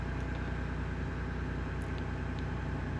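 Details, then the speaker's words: 1999 Ford F150 4.2L after backfire and misfire repair, cold idle at 123°F: even steady low rumble with a regular firing beat, no stumbles or skips; idles way smoother, no misfires. "The engine's idling way smoother now. I don't feel no misfires. The engine's pretty cold right now. It's at 123 degrees Fahrenheit."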